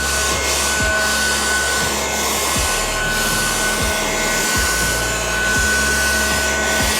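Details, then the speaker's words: Ryobi USB Lithium FVH67K desktop vacuum on a 2Ah battery picking up spilled debris; even, steady motor whir with soft scratching as debris is sucked up; it runs smoothly and normally, before the bin fills. "So far it's doing really, really good. It's very easy to move across the surface."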